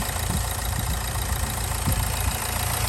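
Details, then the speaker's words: Nissan Juke diesel, very low mileage, just started after having no diesel and with a nearly dead battery: loud, busy idle with an uneven low rumble that won't settle; running high and really loud, cause not yet known. "the most important thing is the engine sounds like to the right right to be fair so it's loud though really really loud"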